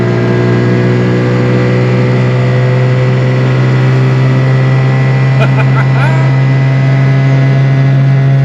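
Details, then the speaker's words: XC Falcon panel van, 250 Crossflow engine, original copper-core radiator refitted, on a freeway run with temperature holding at a quarter: steady low drone of constant tone at highway speed; occupants suspect the spare tire rattling on the bed underneath, source unconfirmed. "it's not it might even be the spare tire rattling around on the bed underneath yeah all I know is it sounds like dad's old Cessna that he used to fly us around"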